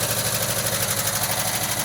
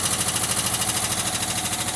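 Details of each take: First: 1979 VW Westfalia at a cold 40°F start after sitting, with parts soaked in oil and bled before install. Earlier ticking is fading; a quick, even sewing-machine patter with no lifter tapping. Normal warm idle. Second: 1979 VW Westfalia on a cold start after sitting a long time, smelling rich. A quick light ticking rides over a rough cold idle, and the lifters quiet down as it warms. Hydraulic lifter tick.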